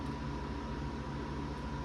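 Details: CPU fan in a sleeper gaming PC built in a vintage HP Pentium 3 case, after clearing an obstruction that stopped it spinning: steady even whirr, faint low hum, no ticking or scraping; normal running.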